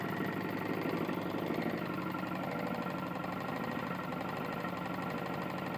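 Small engine idling with a heavy, uneven knock about once a second under the running noise, typical of a worn connecting rod.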